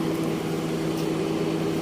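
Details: Car that wouldn't start (no power from battery) after rewiring and battery swap: steady even idle hum, constant low tone, no knocks or misses; engine running normally after the fix.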